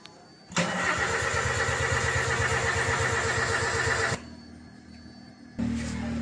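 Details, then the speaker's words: 2007 Toyota Avanza 1.3 that died suddenly while driving: cranks without firing, with rhythmic airy puffing back through the opened throttle/intake. Scan, fuses, fuel pump, ignition and injectors were all OK. A leaking valve is suspected; compression test to follow. "Jadi kalau ada suara angin yang kembali dari Intake ini seperti klep bocor ya angin dari tekanan kompresi seperti kembali atau terpen balik ke intake"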